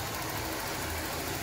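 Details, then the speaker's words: 1996 Toyota Corolla project car (radiator leak and AC issues noted) at idle. The engine sounds quiet, with a smooth, even hum and no knocks or misses, and performs well. Normal idle. "Pero overall, mukhang tahimik naman yung makina. Maganda yung performance"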